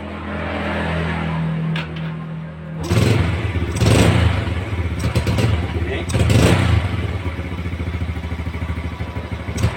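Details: Yamaha Vega R motorcycle left overnight, cold morning start: catches on the starter, then runs rough with uneven stumbling bursts and dies when throttled until the combustion chamber warms; hard cold starting from a clogged carburetor pilot air passage.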